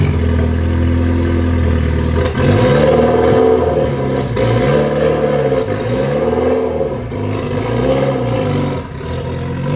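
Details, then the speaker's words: Mitsubishi Evo X with stock turbo, cold start on a chilly morning: rough puffing chuff over the exhaust note with a wavering pitch, from a major exhaust leak in the center of the car. "Has a major exhaust leak in the center of the car, but that doesn't really affect us in what we're doing. There's what she sounds like."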